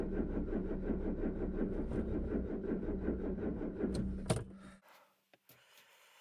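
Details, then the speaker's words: Peugeot 205 running on 3-month-old stale full ethanol, blown head gasket: lumpy, uneven idle with a missing pulse, one cylinder dead, then the engine shuts off; misfire from blown head gasket, before repair. "voilà elle a plutôt bien démarré pour une voiture qui a moin 10 à full éthanol l'éthanol qui date de de 3 mois qui est périmé en plus avec un joint de culasse un cylindre en moins comme on l'entend"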